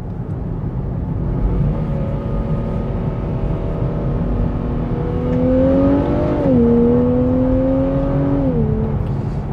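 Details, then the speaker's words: Newly bought Nissan Fairlady Z Nismo six-cylinder, still in running-in, gentle acceleration: smooth, even engine note rising in pitch with the revs, no ticks or knocks, six-cylinder sounding like a symphony; normal acceleration. "banget suara 6 silindernya ternyata kayak sfoni gitu"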